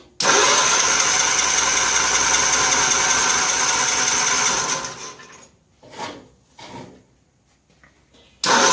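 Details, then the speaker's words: 1955 Cushman Truckster, 3-speed with reverse in neutral, cold start after sitting a couple of years: starter churns steadily about five seconds with no firing. Cranks but no fuel; fuel leaking at fuel bolt. "See why we don't have fuel. We seem to have. Got fuel leaking."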